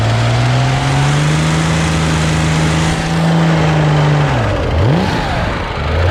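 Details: Used Corvair air-cooled six, unknown engine, first start-up after fitting sheet metal, shroud, oil cooler cover, test alternator and fan belt: rough revving with light busy valve-train clatter; lifters may need time to pump up or re-adjustment.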